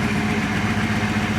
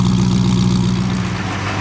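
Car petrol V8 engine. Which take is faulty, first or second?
second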